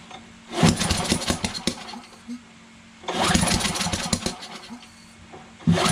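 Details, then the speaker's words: Yard Machines MTD 21-inch push mower, Briggs 550EX auto choke, with brake cleaner sprayed in, on choke: two pull attempts sputter and die without starting; spark present but timing seems off, sheared flywheel key suspected. "see that we're getting a spark for sure but the timing is off maybe it's a shared keyway huh"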